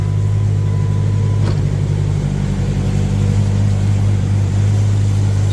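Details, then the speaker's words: 1998 Jeep Grand Cherokee, 4.0L with 42RE automatic, about 470,000 miles, started after cycling the key for a faulty fuel pump check valve: a steady, even low rumble with no ticks or knocks. Normal healthy idle. "great for almost 500,000 miles, doesn't it? You would not think that this engine has 500k on it."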